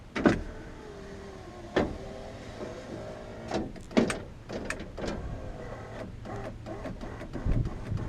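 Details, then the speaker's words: 2000 Honda Accord EX power window after fitting a new window regulator, original motor kept: several clean motor whirring runs, each ending in a soft thud at the stop, no grinding or slipping. Normal power window operation. "Nice. There you go. I finally got my window back working."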